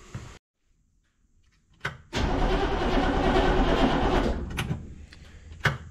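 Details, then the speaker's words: Humvee diesel, warm but not hot, after oil change, glow plugs needed: click then sluggish, labored crank about three turns a second that never catches; batteries getting weak and due for replacement; slow cranking. "the batteries are also getting a little bit weak in this thing so i'm gonna end up having to put a set of batteries in it"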